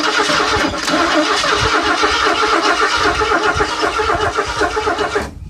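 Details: Ford Granada that sat almost 20 years, running a two-stroke oil and gas mix with a new inline fuel filter ahead of the fuel pump: steady starter churning of about four turns a second for over five seconds, no catch. Cranks, no start.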